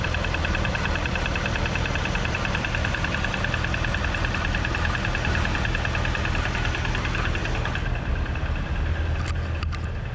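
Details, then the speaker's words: Supercharged Chevrolet Corvette Z51 V8, heard outside the car: steady idle with a light, fairly quick tick from the front of the engine; owner suspects belt/idler tensioner, possibly AFM lifter failure, unconfirmed. "yeah listen to that yeah there you go and actually uh like i said it's coming from the front i mean it sounds like it's that tensioner"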